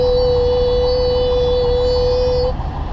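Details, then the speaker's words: Steady high-pitched turbo whine from a neighbouring idling Volvo truck, spooling up at idle then cutting off; a high-pitched scream, cause unknown. "And that's not a problem for me, but the fact that his turbo is winding up is an issue with me, and I might have to find a different parking spot."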